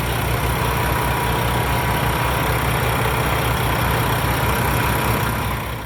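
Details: 2016 Peterbilt 579 with a rebuilt engine and replaced DPF, VGT, head and radiator: steady low diesel idle with an even, unhurried beat and no knocks or misses; sounds healthy.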